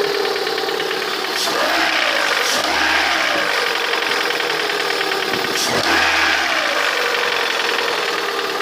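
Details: Lada 21126 engine idling with a rapid, uneven knock and a few sharp thumps, heard most clearly near the end of the recording; the owner asks what the sound is, origin unknown.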